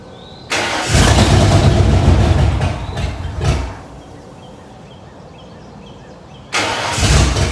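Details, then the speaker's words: 1994 Ford F-150 after 302 V8 engine swap (new oil pump, timing chain, injectors), first start: rough, lumpy, stumbling beat before settling. "now that you've seen that clip you see how when it started up it was just not running too good"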